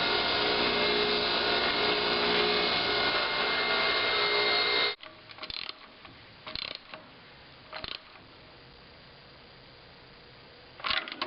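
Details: 1915 runabout petrol engine idling with a steady, regular knock of about three beats a second, which appeared after recent maintenance; it ran normally before shutoff, and the fix was simple.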